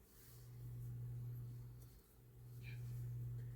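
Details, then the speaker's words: 1988-89 Lasko 9" desk fan model 2154 on low, oscillating, after the oscillation gearbox was modified: smooth hum swelling and fading with each sweep, no slowing or labouring. The oscillation now runs much smoother. "And the difference is already noticeable, as I am not hearing the fan slowing down or anything that can tell you that the fan is having a hard time turning around. The oscillation, it's very smooth, runs actually much smoother now,"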